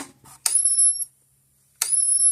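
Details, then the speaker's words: Gallagher B-series electric fence charger after a repair combining two broken units, switched from full power at about 9,000 volts to medium; a click, then a high winding-up whine about every 1.5 seconds, a shorter cycle, normal pulsing. "now we'll go to medium power you'll hear the change the clicking sound the the speed the winding up noise is shorten up a little bit cuz it's just charging a little"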